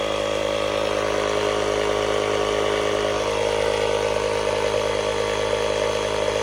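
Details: 12V tire inflator powered from Hulkman Alpha Pro jump pack's socket at 50%, inflating a tire: steady, even buzzing drone with a quick pulse about four times a second under load; inflator running normally, using about 1% of pack charge.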